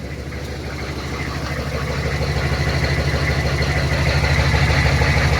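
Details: 1996 GMC Sierra 3500 HD 6.5 diesel truck, started after a wash: settles into a steady, even clatter at idle, pulses firm and regular as it warms; normal, healthy diesel idle.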